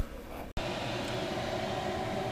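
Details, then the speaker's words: Chinese diesel air heater newly installed in a motorhome, test-run at high speed (4.9–5 Hz pump rate), about 100 °C at the vent with 8 °C outside; steady even roar with smooth fan hum, no knocks or surging; running cleanly. "we're running very nice there. We're running 4.9, running 5 hertz."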